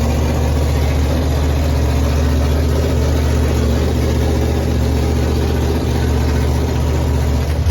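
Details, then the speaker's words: Chevy small-block nitrous drag engine, first start, very cold, headers unfinished: deep, even V8 idle, smooth with no misses or knocks, good oil pressure. "um yeah i am so excited man it sounds so good can't wait to finish the headers and yeah he'll sound good"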